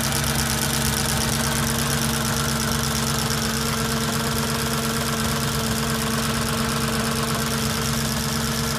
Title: S4 b6 cold idle engine knocking